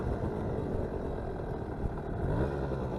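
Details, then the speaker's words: Vintage Honda MR50 two-stroke idling in neutral after warming up and running well. Low, steady, even burble with no misses; running nearly perfectly, though the idle may be a little low and could be adjusted. "idle you hear that I mean this thing is running perfectly nearly perfectly"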